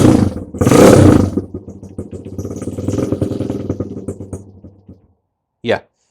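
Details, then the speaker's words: Honda CRF100 single-cylinder after shift drum and shifter repair, not yet warmed up: brief blip then steady thump at slow idle, no knocks or rattles; normal running, idle set low. "bring the idle up. But yeah, sounds pretty darn good. Heck yeah."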